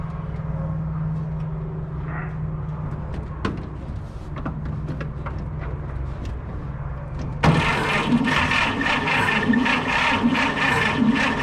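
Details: WC54 3/4-ton Dodge ambulance, sitting 20+ years, new carburetor, rigged fuel source, possibly not hitting on all cylinders: about seven seconds of steady cranking, then it suddenly fires and roars; hard restart after stalling.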